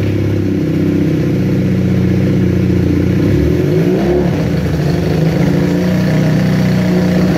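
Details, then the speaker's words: Kawasaki KZ440 motorcycle in first and second gear around 20 mph: pulls steadily, then falters and bogs at a certain throttle position (around 5k rpm) before catching again. There is a tiny vacuum leak; cause is unknown. "why does a stutter like that when I'm in first and second gear going about 20 miles per hour it'll stutter where it won't accelerate in a certain throttle position"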